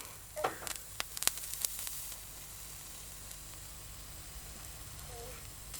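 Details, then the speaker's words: HPI Savage 21 nitro RC truck after a drowning, glow starter on its original old glow plug: handling clicks, then steady hiss and sizzle as water boils off the hot plug; the plug survived. "we're burning it all off it's burning the water off but we're going that's good"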